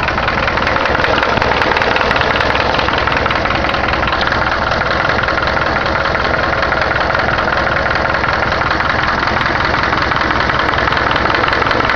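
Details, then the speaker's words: 1976 Cargo (Caravan) four-cylinder on first cold start of the day; rapid uneven knock about two to three per second over the idle, strange engine noise of unknown cause; engine knock at idle. "Fala galera, fazer um vídeo aqui mostrando um barulho estranho que tá no motor da minha Cargo 76."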